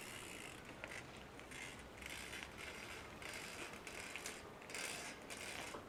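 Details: New Shimano XT M8110 12-speed Micro Spline rear hub with irregular dry creaks and ratchet clicks about every second as the wheel turns; freehub creaking, usually easily solved; dry, under-greased freehub body.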